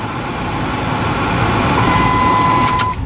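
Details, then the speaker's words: 2005 Dodge Ram 2500 after dual-zone climate control conversion, after plugging openings air had been whistling through (owner first suspected the HVAC box). Steady even blower rush with faint constant hum and no whistle: normal HVAC blower operation. "So now that that's done, no more whistling noise."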